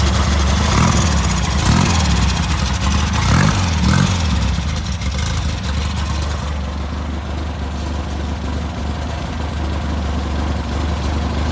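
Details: Rebuilt VW Type 1 1776cc flat-four (AA 90.5mm cylinders, Engle 100 cam, 69mm crank) on first bench start, starter bushing suspected worn: revs hard a few times, then a steady, even idle with no knocks or misses; running normally.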